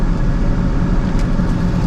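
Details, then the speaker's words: 2003 GMC Sierra V8: fires up immediately, low even idle with a steady rumble and no misses, knocks or belt chirp; normal idle, confirming the starting trouble was just a battery issue. "This thing is not skipping a beat. I don't even know if y'all can hear that. It's so quiet. But it fires up immediately now."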